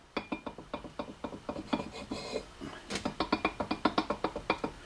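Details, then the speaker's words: 1966 Mustang rebuilt OEM hub with aftermarket brake disc whose stud holes are 0.030 in oversize and stud loose: irregular metallic clacks as the disc is rocked by hand on the hub; disc play, neither hub- nor lug-centric. "okay fine but the stud is also loose which means that the disc will be neither hub-centric nor lug-centric"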